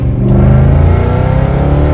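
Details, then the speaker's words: Audi S4, 4.2 litre V8 (340 hp), check engine light on (two codes, oxygen sensor hoped): deep strong V8 rumble building smoothly as it pulls while driving, no misses or rattles; healthy exhaust note. "That sounds like that in an import. Loving it right now."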